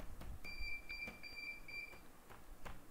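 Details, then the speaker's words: CP Plus CCTV DVR during setup, no hard drive installed: shrill electronic beep in quick pulses for about a second and a half; DVR alarm beeping. "देखो अभी एक बार और यह देखिए यह beans की आवाज आ रही है"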